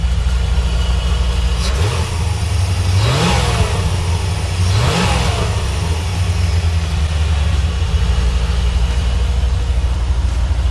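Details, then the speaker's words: 1991 C4 Corvette V8 after replacing throttle position sensor and idle control valve, heard from behind the car; deep steady idle with two quick throttle blips rising and settling cleanly, idling the same as before, normal. "She sounds like she's idling exactly the same as she used to. And from back here, she still sounds legit."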